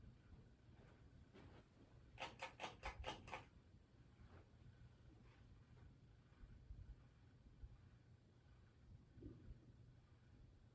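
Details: Generic low-profile ceiling fan in a hotel room, low hum broken by harsh clicks and ticks, a loud mechanical grinding rattle; fan also has a bad capacitor, with medium speed faster than high.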